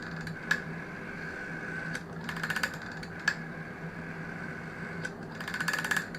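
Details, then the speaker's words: GEC Muraphone rotary telephone dial returning: faint ticking with irregular sharp clicks it shouldn't make; suspected cause is the one-way clutch not de-clutching. "sounds a bit odd as it's going around it listen to that sort of clicking noise that shouldn't be doing that I think it's because the the little clutch thing isn't de-clutching"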